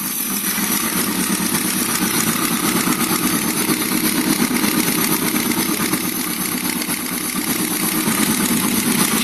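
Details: Engine at steady idle with fast, light ticking quicker than the firing beat, pointing to noisy valves in the top end. Valve tick.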